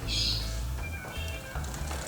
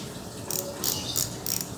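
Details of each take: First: Simple bicycle freewheel with plain ball bearings and no seal: spins normally, but under pedal pressure gives sharp, slightly uneven tek-tek ticks about twice a second with felt vibration; worn freewheel clicking under load. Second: Bicycle freewheel/sprocket that sounded rough and wobbled, reassembled after swapping the 0.1 shim ring (too tight) back to the 0.2 ring: quick crisp even pawl ticking as the wheel coasts, light with no play or rattle; freewheel healthy.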